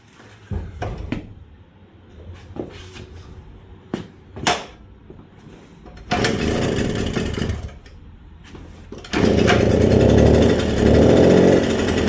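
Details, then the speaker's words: 1979 Suzuki JR50 two-stroke minibike, long-stored, cold, new correct BP4HS plug, started on first kick: a few kicks and knocks, then a buzzy even idle with brief blips; idles fine but won't rev out, float setting suspected. "Start it up. First kick. It's cold out the shop, too. As you can see, she's idling fine, but listen to this rev out."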